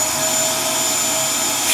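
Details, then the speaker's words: Dyson DC07 Origin vacuum that overheats and dies after about 10 minutes, owner suspects a blockage rather than the motor: a high, strained whine with a rushing hiss. Filter found clogged. "And to me it sounds very blocked up. It's probably not the motor, it's probably just a tremendous blockage somewhere."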